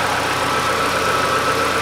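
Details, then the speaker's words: 2008 Chevrolet Lanos petrol engine idling evenly with steady hum and no knocks, after replacing thermostat and timing belt and refilling antifreeze; warming up to check thermostat. "у нас работает все замечательно теперь прогреваем проверяем как у нас работает термостат"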